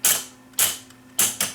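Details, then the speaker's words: Viking SC5894 AM/FM stereo receiver with 8-track cartridge recorder: track-change solenoid actuated by shorting contacts with a screwdriver while capstan spins; four sharp, fast-decaying snapping clicks as the solenoid pulls in and flips the head to the next track. "As the capstan shaft is spinning, there's a small solenoid, which when I can turn the motor on by pushing this little switch over here, and I can simulate it by just putting a screwdriver across here, and you'll see what happens."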